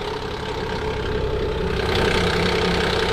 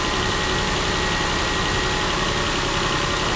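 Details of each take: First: Nissan Pathfinder VQ40DE at a morning start: steady idle with a quick, fairly even rattle from the front of the engine, from worn timing chains, guides and tensioners that were then replaced. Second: Nissan Pathfinder VQ40DE V6 after replacing all three timing chains, guides and tensioners, fully reassembled: steady even idle with smooth hum and no rattle or slap; timing chain quiet and healthy.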